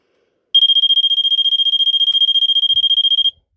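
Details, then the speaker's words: Vulcan MK V1B Autosonic photoelectric smoke detector made in 1986, test button pressed (responds with a delay): a shrill high beep pulsing rapidly, about fifteen chirps a second for nearly three seconds. The test alarm sounds normally. "I'll do a test button so um I'll let you hear it it does a fast pulse it does a really really cool fast pulse"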